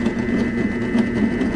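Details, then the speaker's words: 2023 Ford Super Duty 6.7 high-output diesel Pro Power inverter running an air compressor; labored pulsing motor hum under high whine near maximum PSI; compressor motor overloading the inverter, which cuts out. "right at the maximum PSI it's having a hard time it's cutting it's killing the inverter"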